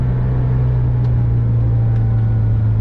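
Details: VW Vanagon with Honda K24A engine conversion, automatic, accelerating in first gear toward 4,000 RPM, GoPro on windshield: deep, steady drone, no knocks, rattles or misfires; pulls cleanly, normal running under load.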